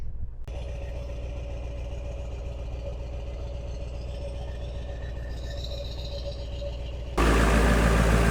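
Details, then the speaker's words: Cold start of a 2000 Ford Excursion 7.3 diesel with 438,000 miles, key held until it fired right up: even steady diesel clatter at idle, about four beats a second, no misses or knocks, then wind noise; healthy idle. "so when you start this when you start a diesel up you guys don't just turn like a little punk turn it and hold it until she starts so let's see oh sweet she fired right"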